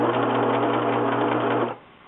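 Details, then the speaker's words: Singer 6412 Millennium Series sewing machine after repair of right-side skipping/grinding: steady even hum and rapid continuous needle rhythm, no grinding; normal sewing. "Okay. So now I'm going to show you what it sounds like when it is fixed. [Music] You hear there's no grinding."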